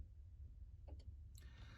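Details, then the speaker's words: 1995 Ford F-350 7.3L diesel after glow plug relay replacement, ignition on, engine off: one crisp click with short hiss; relay pulling in normally, voltage dropping about 12.5 to 11 V. "so when things are working normally within about a moment of moving the ignition switch to the on position you should hear the glow plug relay pull in"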